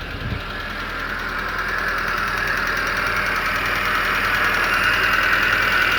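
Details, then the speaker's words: Hyundai Getz just after engine rebuild with engineered cylinder head, first start with no coolant in it: steady even idle with a light regular tick, all cylinders firing; only a brief run because there is no water. "She's firing on all cylinders. Of course, you can't um idle her for a long time because there's no water, guys."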